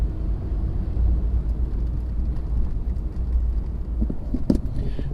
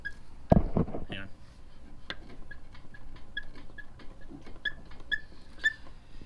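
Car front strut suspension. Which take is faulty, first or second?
second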